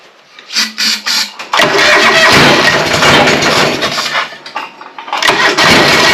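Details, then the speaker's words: John Deere 425 on starting spray: several short cranking bursts, then catches and runs unevenly, surging and sagging before dying. Owner suspects plugs fouled from coolant in the air cleaner, confirmed on removal. "yeah I think I'm going to pull the spark plugs out cuz there's stuff from the coolant up in the air cleaner and I almost bet that the plugs are filed"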